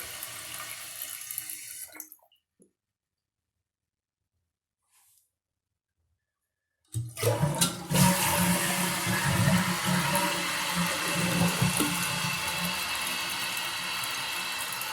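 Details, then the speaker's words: Toilet flush and refill after replacing a worn flapper that caused a dripping sound: strong rushing flush, then a steady refill hiss with no drip or trickle after; the flapper seals properly. "Okay, that seemed to work well. Just want to make sure this chain isn't so long that when it flushes it gets up underneath the toilet flapper and causes it to stay running."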